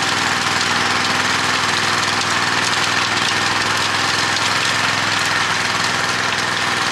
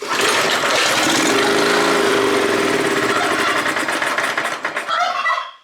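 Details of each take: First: Honda F810 rotavator with tiller box, bought as a non-runner after two to three years standing in a field and revived: small engine holds a steady, busy drone while tilling, no misses, knocks or surging; running properly under load. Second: Neglected Honda F810 rotavator, stood two to three years as a non-runner: with petrol poured into the carburetor venturi, it catches and runs raggedly about five seconds then dies. Fuel isn't passing a blocked carburetor.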